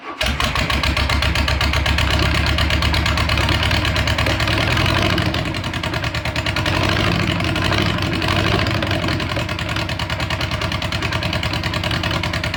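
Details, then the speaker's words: VW Beetle (Bug) engine in its new home, first start after fuel system and gas tank redo, carburetor primed with fuel; fires almost instantly, then holds a busy but even idle with a steady beat, no misses or odd noises; healthy start and idle. "all right so we got it fired up um you're probably thinking wow that fired up really fast"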